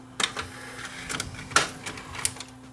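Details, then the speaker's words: Tascam DA30 DAT deck given as working but won't load tape: drum motor spins up with steady hum and scattered irregular clicks, no loading sequence; dried gummed grease in loading mechanism, guides or cam gear suspected stuck. "but it's not it's not loading the tape so I'll take the take the mechanism out again check to see whether the guides themself are stuck or whether it's the cam gear that operates them"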